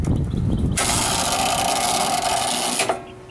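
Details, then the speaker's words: Home AC circuit breaker switched on gives a harsh hissing electrical buzz for about two seconds; arcing inside the breaker because the compressor line was shorted to ground, and the compressor was replaced. "so I'm going to stay quiet right now and you're going to hear the arcing inside this circuit breaker"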